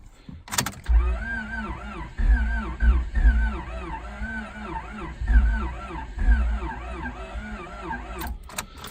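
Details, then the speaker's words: Honda Civic engine: starter whirs in short bursts with a fast, even, light spin and no compression strokes; engine has no compression whatsoever. "you hear there's no compression whatsoever."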